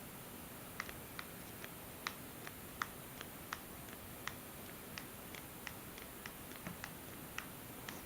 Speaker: so this uh back cover because it has uh that space here it flexes and produces sound and every time you pick this device like this you will hear that popping sound